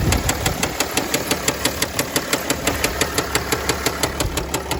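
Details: 2009 Mercedes ML320 with the 642 diesel, which knocked after a 4-hour drive and showed no oil on the dipstick; a shop called the engine done. At idle a sharp, even, metallic knock about three per second is heard. A rod knock is suspected, not confirmed.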